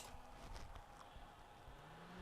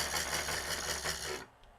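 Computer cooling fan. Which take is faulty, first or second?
second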